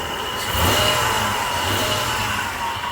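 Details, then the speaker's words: 1997 Toyota 4Runner 3.4L after timing belt job with valve covers refitted, first start: even idle with no ticking, slapping, knocking or belt squeal while bleeding coolant and warming up; sounds healthy, normal idle. "sounds good bleeding and cooling"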